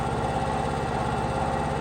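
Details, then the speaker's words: Ported Stihl MS500i chainsaw at idle: an even, steady idle with a fast, regular mid-pitched beat and no stumbling or hunting; it idles properly and runs stronger than factory. "that saw runs strong it idles it does everything it's supposed to do from the factory but it's stronger"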